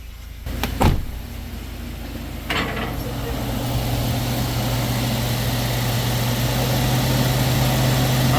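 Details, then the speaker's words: Towed-in Sierra/Silverado V8 after a valve suspected of hanging open from crud buildup: after a couple of clunks up front, it settles into a steady, even low idle with no miss or knock; sounds healthy before road test. "right she sounds good let me grab my scanner we're going to clear codes we're gonna go for a ride"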